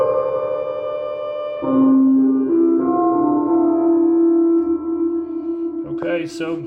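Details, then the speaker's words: Moog Grandmother with 2019 Korean Accutronics/Belton reverb spring tank, after lifting wires clear of the springs: sustained synth notes ring with smooth, even reverb tail, no rattle or dropout. Spring reverb working normally after the fix. "Well, okay, so it's working great right now."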